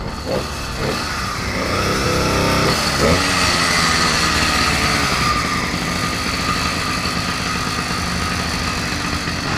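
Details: 80cc motorized bicycle after broken-axle repair, re-laced trued wheel, new idler pulley on chain tensioner and stripped bolt fixed: high, fairly even buzz with no knocks or rattles; runs cleanly and holds steady.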